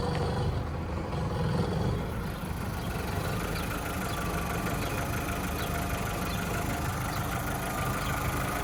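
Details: VW Caddy with an ABA engine swap, possibly low on fuel: quiet, even idle with steady speed and no surging or shaking. The engine is running right.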